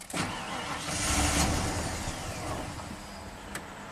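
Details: 1992 Ford F-150 5.0L V8 with a used eBay throttle body, setting a TPS code (signal too high): cranks and catches, surges briefly, then sags and stalls instead of idling.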